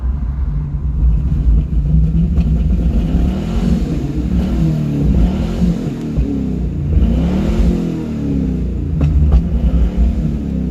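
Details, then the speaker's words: Car missing at all RPMs after highway driving, pulled over hot: idles but stumbles and sags under throttle, backfiring through exhaust, won't accelerate; owner suspects clogged catalytic converters, unconfirmed. "See, it'll idle soon as you give a gas. You can hear it. Will not accelerate backfiring through the exhaust. The more throttle you give it, the less it runs."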